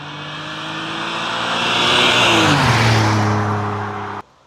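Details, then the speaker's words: Junkyard BMW E60 just fitted with a new Flashark dual-tip catback exhaust, expected to be slightly louder than stock: a deep even rumble swells smoothly as revs climb, then settles cleanly; healthy engine with a mellow exhaust. "I don't think this is gonna be too loud. I think it's gonna be just a bit better than stock. It's gonna have a nice little rumble to it, but it won't be too annoying when you're driving it around."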